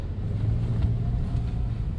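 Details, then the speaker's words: Toyota Rush after front brake repair, previously dragging with front passenger-side noise when braking: steady even engine and road rumble while driving, no scraping or dragging, no fault code; brakes free, normal drive. "Hindi siya hindi na siya pigil. Tsaka wala naman lumabas sa fa code eh."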